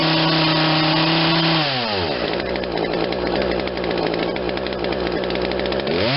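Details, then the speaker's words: Poulan Wild Thing 40cc two-stroke chainsaw with new aftermarket carburetor, after adjusting the low jet leaner: revs high then drops to a ragged idle that sounds ready to die; starving on idle, low-end mixture still off. "response now, but I think it's starving on the idle. Yeah, it's not happy on the low end now."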